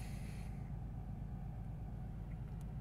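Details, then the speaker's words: 2015 BMW 640i, N55 engine, intermittent misfire with check engine light: at idle one cylinder is deactivated, running on five cylinders, giving a deep, lumpy, stumbling beat; engine misfire. "if you guys felt this it's pretty bad the cylinder deactivation has already taken place this thing's running on five cylinders at the moment and"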